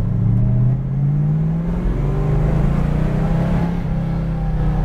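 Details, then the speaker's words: 1968 Dodge Coronet R/T 4-speed, numbers-matching 440 V8 rebuilt after a bolt damaged a piston, dyno-tested and reinstalled, test drive: deep, even rumble climbing smoothly under throttle, no knocks or ticks; healthy engine. "love that sound just don't want to run out of fuel and then we got to push this car"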